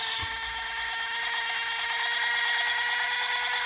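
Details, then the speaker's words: Taigen RC tank brushed-motor smoke unit on a DC bench supply, raised from 7.7 V (about 0.7 A) to about 9 V: a steady high-pitched electric whir near 500 Hz with plenty of smoke. Runs normally; usually tested for 20–30 seconds. "okay so we're sitting about nine volts there we got plenty plenty of smoke i usually run them from about 20 to 30 seconds to make sure they're good"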